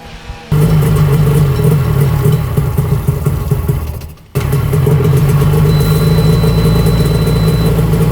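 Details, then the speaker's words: 1995 Tigershark jet ski, revived after 20 years, running out of the water with no choke; crisp, even two-stroke buzz with no misses, briefly dropping and picking back up. Runs healthy. "It's running pretty good. That's without choke."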